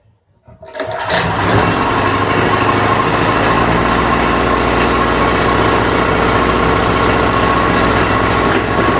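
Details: Cheap import generator's small engine after carburetor refit: catches and runs a busy, slightly uneven drone only on choke; the carburetor is suspected plugged and will be cleaned.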